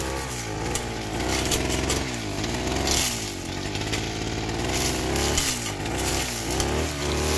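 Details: Small two-stroke grass cutter (brush cutter) engine runs roughly, its buzzing note wavering and surging with a raspy, snoring edge; the owner asks what causes it.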